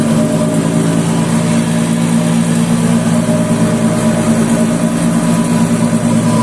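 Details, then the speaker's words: Nissan X-Trail in for a humming complaint; holding either wheel gives noise: a steady low drone from the rear differential, judged to be the source. "Всем привет вот нам Nissan x-trail приехал в ремонт с проблемой гул держишь одно колесо шумит держишь другое тоже шумит"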